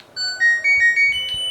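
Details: LG inverter direct-drive front-loading washing machine, control board after repair of a dead unit: clean rising sequence of short electronic tones on power-up, the normal start chime.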